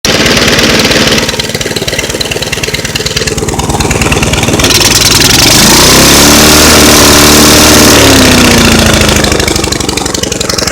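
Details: Rough, lumpy idle around four beats a second that flares up and settles unsteadily; owner wonders whether a carburetor diaphragm is the cause, unconfirmed.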